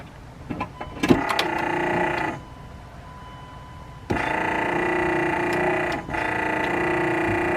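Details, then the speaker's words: 2nd-gen Cummins truck wiper motor, bolted in with connections made, tested before reassembly: steady electric whir with faint rhythmic sweep, running smoothly; normal wiper motor operation. "now before i put everything else together we'll go ahead and test it and make sure everything"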